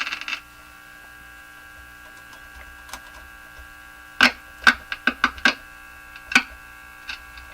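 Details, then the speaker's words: Japanese Zephyr Model 1 tube radio powered via dim-bulb tester with loose tubes: steady low mains hum with handling clicks; tube contacts ruled out, a tube (AC heater) still suspected, cause unknown. "Well, it's not the uh it's not the tube contacts. Could still be a tube though."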